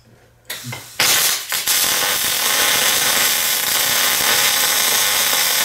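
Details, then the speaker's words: MIG welder set to 240 in/min wire feed and 18.8 volts: after the arc strikes, a steady, fast, sizzling crackle holds evenly throughout, the bacon-frying sound of short-circuit transfer rather than spray transfer. "all right so you could hear it is like I guess people describe that as like a deacon frying sound I I weld a lot more than I fry bacon so it doesn't sound like bacon frying to me"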